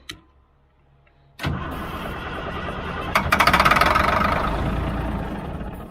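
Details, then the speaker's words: Old 6x6 deuce and a half army truck, diesel, cranked after switching tanks: silence, then a rough catch running a few seconds and fading, firing only on ether (starting fluid); diesel not reaching the engine, tank pressurizing considered. "yeah see that's just running off ether now"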